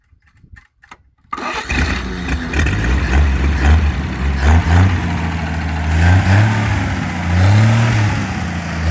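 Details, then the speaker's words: GM 261 CI inline six, started with new spark plugs and weed-eater gas poured in the carburetor: brief cranking, then it catches cleanly into a steady, even idle with no misses or knocks. It sounds healthy. "Sounds pretty good. It's hard to believe this thing, literally all we did was put a set of plugs in it and put some gas in the carburetor and it started right up."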